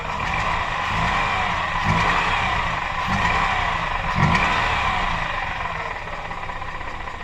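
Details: Mazda RX-8 rotary (Wankel) engine at idle with a hissy, uneven tone and deeper surges about every second; owner unsure whether it is a vacuum leak or a broken apex seal.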